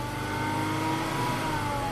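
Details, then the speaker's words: Volvo XC90 with fuel trim issue and a torn PCV diaphragm, after PCV repair and trim reset, slightly warmed up: short light rev, smooth even note with steady pitch, no misses or ticks; running perfectly. "it's running perfect."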